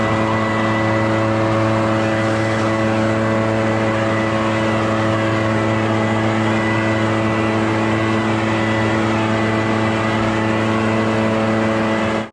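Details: Echo PB650 two-stroke backpack blower, barn find unused about 5+ years, running on fresh gas while clearing a roof and gutters: steady, even high drone holding the same pitch over ten seconds, no stumbling or surging; runs cleanly.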